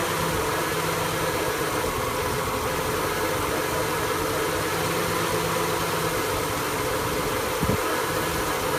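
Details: 1974 Ford F100 with EFI swap, V8 at idle: steady low idle with a slightly uneven, lumpy beat and no other noise; rough idle, cause not pinned down.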